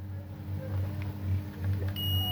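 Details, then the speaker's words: HP 830 G6 no-power laptop motherboard, multimeter continuity mode across a capacitor: low hum then steady high beep holds, near-zero resistance, dead short on the capacitor line; capacitor to be removed and replaced. "Yes guys, I believe the that's a short. You can you can hear the peping. When the capacitor pips that way, it means that capacitor is shorted or whatever along that line where capacitor is is shorted."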